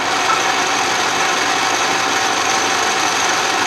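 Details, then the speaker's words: Restored 12-inch Atlas Craftsman metal lathe under power, quick-change gearbox on the finest feed, power feed tested in both directions. The gear train gives a steady, bright whir with an even hum and no knocking or grinding; it works normally. "and that looks like it's working normally let it come to a stop we'll try the other direction and that sounds good too"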